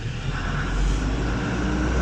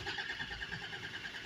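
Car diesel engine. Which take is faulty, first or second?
second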